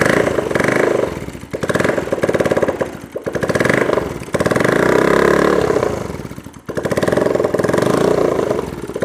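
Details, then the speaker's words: Bajaj Pulsar AS 150 motorcycle, engine previously rebuilt: rough gritty clatter over each rev swell like a mixer machine, rubbing sound with clutch pulled; teardown finds jammed bearing, worn internals and clutch assembly needing replacement. "মনে হয় যে কারো সঙ্গে কোন ঘষা খেয়ে বন্ধ হয়ে যাওয়ার চাচ্ছে এরকম ভাবে অবস্থা মানে একটা কি বলবো মিক্সার মেশিনের সাউন্ড এই ইঞ্জিনটার"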